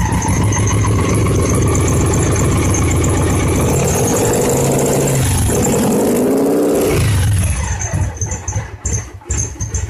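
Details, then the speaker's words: 2002 Victory V92C motorcycle after TP-learn sequence, fuel controller still fitted: fires up, stumbles and surges unevenly with brief squeal, dies away; rough running from rich mixture, earlier suspected bad TP sensor. "that runs awful [Music] and it's running richer than crap still"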